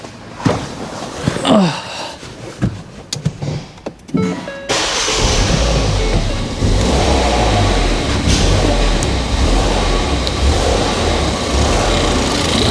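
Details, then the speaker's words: Ford Fiesta ST180 bought as a non-runner, on the ramp: idle hunts up and down, becomes perfect when a finger covers the leak and hunts again on release, proving an intake manifold air leak. "you can hear it you're having up and down try this see idle's perfect for my finger over let go good little test for you that proves ignore the leaks on my manifold"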